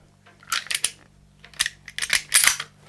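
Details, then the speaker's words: Umarex Legends Cowboy Rifle (Winchester 1894 replica) after valve repair, reassembled without barrel or magazine tube: a few crisp metallic clacks as the action is worked, no hiss of escaping gas; the mechanism cycles cleanly and the leak is fixed. "and obviously I haven't got any there's no magazine tubing but it's pretty loud without the barrel on no leaky gas that's the important thing right"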